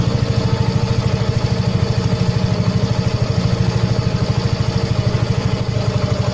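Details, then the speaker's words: Yamaha Mio M3 125 fuel-injected scooter after throttle body service, first start: quick even idle thump about three per second that won't settle lower; idle too high, lowered by tightening the throttle body air screw (loosen if too low). "Oke, ini terlalu besar ya, jadi kita kecilin."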